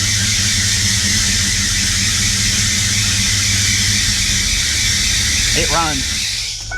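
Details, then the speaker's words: 1994 Ford Mustang GT, supercharged 347 stroker, flood-damaged in saltwater: steady shrill squeal over rough-running V8 with low fuel pressure (10 psi); not the supercharger but the smog pump, seized from being underwater and dragging its belt. "it turns out is not the supercharger after all that was making all that noise it's the smog pump the smog pump is locked up from being under underwater"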